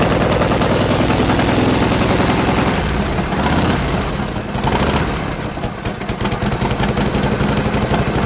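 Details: 1952 Harley Panhead started after sitting idle six months, choke off and spark retarded: starts with a single kick into a loose, lumpy V-twin potato beat that keeps firing steadily. Normal cold start and idle.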